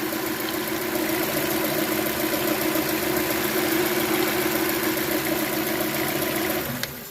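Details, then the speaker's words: Chevrolet Cruze LT after replacing both timing gears and setting timing: even, steady idle with smooth hum and no rattle before shutdown; normal idle, noise gone. "vamos a a darle marcha así para verificar que no nos haga el sonido como pueden ver ya el sonido se le fue ya no se escucha"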